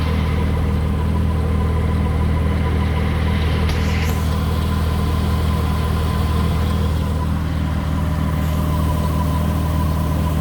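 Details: Honda petrol engine idling steadily with a thin faint squeak above the drone that tracks with rpm; RPM-dependent squeak, later not reproducing.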